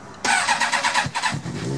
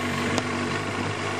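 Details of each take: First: Carbureted bike engine started cold with choke full on: catches then settles into slow, uneven, low-pitched idle below 1,000 rpm; rich low rough idle. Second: Cold carbureted engine on partial choke: steady, even idle held near 1500 rpm with no hunting or stumbling; moving choke back to normal drops it to about 1000 rpm or below; normal cold idle.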